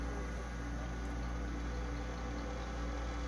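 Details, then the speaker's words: Old Pentium 4 PC in for USB and sound issues, just powered on at the splash screen: steady low hum with a faint uneven buzz; a fan has a vibration. "you can see Ali put up the splash screen is running a year running this fans got a vibration right here"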